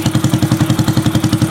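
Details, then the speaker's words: Motorcycle idles after a Mascot piston install, engine hot then cooling somewhat, with a steady even thump and no tapping or knock; loud exhaust masks some sound; valves still to be adjusted; engine sounds calm. "Untuk pemasangan enggak ada masalah normal ee rapi untuk pistonnya dan ketika dipasang juga suaranya adem."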